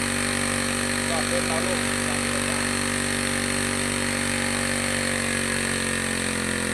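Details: Two-stroke grass trimmer that stumbled on acceleration, carburetor cleaned and reassembled, mixture screw being tuned (counterclockwise richer, clockwise leaner) to find peak revs then backed off; steady high-speed buzz, pitch drifting slightly; speed varying during mixture adjustment.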